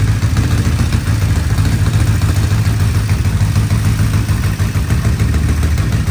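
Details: 1975 Honda CB550 four-cylinder motorcycle, first start after 10–20 years parked, all four carburetors dipped and cleaned; loud lumpy idle with uneven beat and some clatter; one cylinder not firing from fuel starvation.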